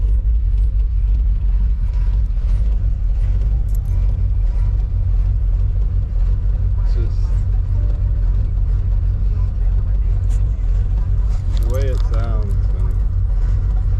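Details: 1987 Chevrolet Silverado, throttle body injection 350 with mild RV torque cam, cold start at about 40°F in Florida: deep, steady low rumble with slightly uneven lope; choppy cold idle, normal for the mild cam.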